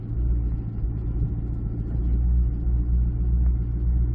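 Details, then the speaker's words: 2014 Chevy SS rear Brembo brakes after GM shim kit install and new copper paste, car backing up then picking up speed: only a low slow rolling rumble, no squeal or ringing; rear brakes quiet. "I'm not hearing anything. Let's pick up some speed. Now, I'm not hearing anything, guys, so I think we're good."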